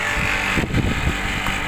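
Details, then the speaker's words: Air conditioner outdoor unit after repair (was running but not cooling; capacitor had burst): compressor now starts with a steady hum and fan rush, no clicks or cutting out; pipe gets cold, normal running. "Oke kita coba lihat langsung outdoornya dan alhamdulillah ya untuk kompresor sudah menyala"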